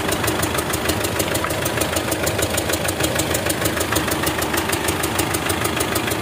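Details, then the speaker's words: Circa-2008 Mitsubishi Strada Triton diesel, hard starting, idling with a sharp even tick about twice a second and heavy smoke puffing from the oil filler cap: crankcase blow-by; mechanic suspects an injector, cause unconfirmed. "jadi disini kita lihat untuk bagian pengisian oli itu keluar ya suara tepuk bobot dan asapnya banyak"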